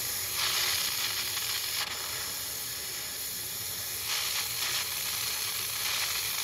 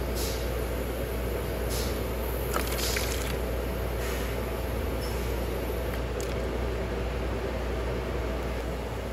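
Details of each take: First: Monitor steam injector tested at 35 psi steam pressure, lifting water three or four feet with an overflow extension: steady hiss and sizzle with no firm pickup, struggling to prime at low pressure before eventually picking up. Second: Monitor injector sent in for problems, tested across operating pressure range, checking overflow for vacuum leaks while adjusting capacity: steady deep rushing, even flow, no sputtering or breaking off; injector picks up and runs normally.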